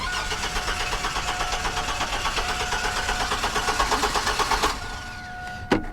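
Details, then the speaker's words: GMC Sonoma with CPI (central sequential port injection), which earlier started on starting fluid: the starter cranks steadily for nearly five seconds without firing. No fuel pump is heard and fuel pressure reads zero. Crank, no start. "I didn't hear it I I don't hear the fuel pump at all [Music] interesting and we've got no fuel pressure at all"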